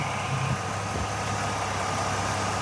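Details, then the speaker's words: Jeep engine at smooth, steady idle with an even low rumble and no hunting or stumbling, heard after the loose air filter housing was resecured; normal idle. "You hear that difference now? The engine is happy."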